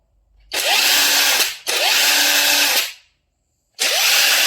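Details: Aftermarket Makita-style IFASEN 21700 15000mAh battery on a full charge, running an impact wrench at mode 3, speed 3: three clean bursts of high, even whirring, each with a short rising spin-up, no hammering or stutter; the wrench runs healthy and the battery later reads 20.1V.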